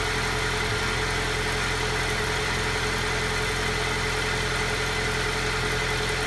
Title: Alfa Giulia cold start rough idle